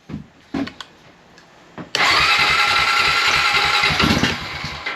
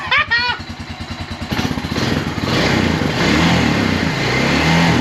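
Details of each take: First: 2001 Honda Rancher 350 ATV with brand-new unadjusted carburetor, intake partly installed, jump box for weak battery: fires and revs hard for about two seconds then sags and dies toward idle; won't idle, idle screw set too low. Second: 2001 Honda Rancher 350 ATV, repaired after a stuck-open intake valve, with a new carburetor and the idle screw turned about two turns in: it catches after a brief rev and settles into an even, steady single-cylinder idle.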